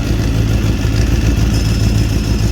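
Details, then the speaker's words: Suzuki GSX-R 750 (2006-on), clutch cover open during clutch adjustment, clutch disengaged: even idle with a light, steady whirring rattle and no knocks as the basket keeps spinning on its bearings; normal. "Ese sonido que suena, no os asustéis ni nada, eso es normal, ese sonido, porque aunque lo veis seguir girando, cuando yo separo el embrague esto sigue girando."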